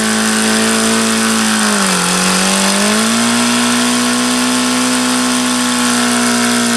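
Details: HP VT 21 rotary-valve four-stroke engine, run issues since day one, just started after priming: high buzz sags around two seconds then climbs back, rough and unstable, running worse than before; owner changes to B7311 plug afterward.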